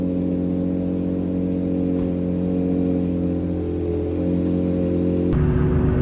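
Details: Infiniti G35 V6 first start after fitting PPE long-tube headers with Motordyne Shockwave catback exhaust: deep, even burble holding steady with smooth rises in pitch under throttle, no knocks or rattles; healthy engine and exhaust.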